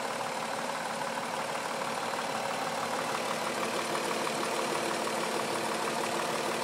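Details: 2004 Mazda 6 3.0L V6, 94K miles, rough idle: thin, hissy idle with a faint, slightly uneven low knocking tap about three times a second; cause unknown.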